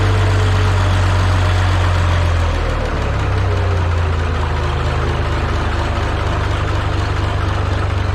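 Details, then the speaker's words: MM G950 tractor, fired up cold after manifold leak fix, new old stock muffler fitted: deep, steady low idle with even beat, no rasp, not tinny; exhaust sounds solid and healthy. "all right so the way the New Old Stock one sounds to me like it's got a nice deep uh sound to it"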